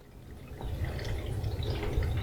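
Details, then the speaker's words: Sailboat bilge pump discharge hose after pump repair (zip tie found in pump): steady trickling of water backflowing through the pipe because the hose sits too low; lifting the hose higher stops the backflow. "So I don't know if you guys can hear that, but there's still water backflowing through this pipe."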